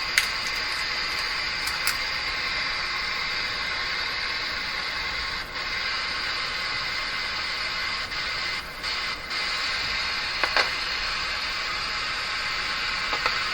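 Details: Grundig Prima Boy Luxus radio with intermittent FM reception. Steady hiss with no station, briefly dipping and crackling now and then as reception cuts in and out. Board flexing affects it; a cold solder joint is suspected. Intermittent FM static hiss.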